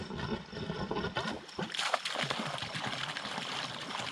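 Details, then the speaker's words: Refilled sprinkler line fed by a newly replaced jet pump, after replacing a head: irregular gurgling and spitting trickle as trapped air works out; checking for leaks. "I'm gonna do this one first make sure there's no leak a lot of air"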